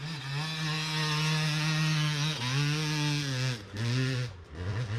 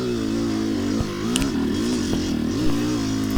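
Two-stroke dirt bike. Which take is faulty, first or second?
second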